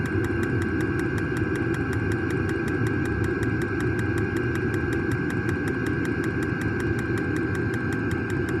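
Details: New diesel heater just installed in a Jayco Freedom caravan, running normally after switch-on: steady even combustion roar with a light, regular fuel-pump tick a few times a second as it pumps fuel.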